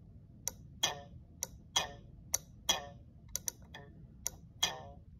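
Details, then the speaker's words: Ford 3-pin horn relay from 1973–1986 trucks, bench-tested with battery power through a fuse: about ten crisp clicks as it energizes and connects internally, normal relay operation. "that means the relay is internally connected."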